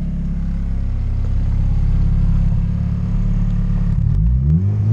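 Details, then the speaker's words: Turbo Honda Integra on Crome Gold, standstill rev limiter 5,000 rpm, anti-lag at zero degrees ignition retard and zero fuel enrichment: engine held on two-step limiter with even choppy buzz, no pops or bangs; plain launch control. "our standstill Boost generator down here which is the anti lag feature on Chrome Gold is at zero degrees ignition [ __ ] and zero degrees fuel enrichment and I'll show you what the launch control sounds like with the settings right here"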